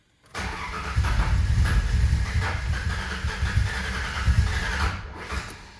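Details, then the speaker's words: 2000 Ford Ranger 3.0L V6 after rebuild, started fine the day before and has since had fuel additive added: starter drags slowly in an uneven churn of about four pulses a second, almost catches but never fires; battery going out suspected, not confirmed. "it's funny cuz it was starting fine here yesterday I wasn't running the best but it was starting fine"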